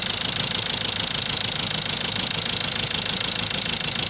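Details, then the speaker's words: Ford Ranger 2.2 TDCI diesel idling after engine and gearbox rebuild, before road test; even diesel clatter with steady regular beat, no shaking or odd knocks; normal smooth idle. "ድምፁ ራሱ በጣም ያምራል። በጣም እንግዲህ ይሄን ይመስላል።"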